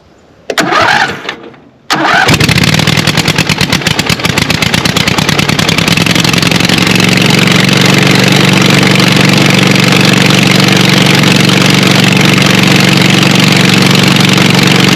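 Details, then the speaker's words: Scag Cheetah mower (about 61-inch cut) with its Kawasaki replaced by a Craftsman 24 hp Briggs & Stratton twin, running with choke on and no muffler: short crank, then a loud, raw, rapid popping idle; loud exhaust from the missing muffler. "and if this thing does fire up it is loud it does not have a muffler on it"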